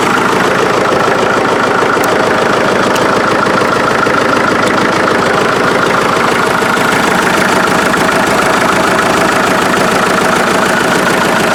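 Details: 1947 Farmall MD tractor, just reassembled, started by alternate means with a failed starter switch, in neutral: loud, even beat of about 200 pulses a minute, steady with no misses or knocks.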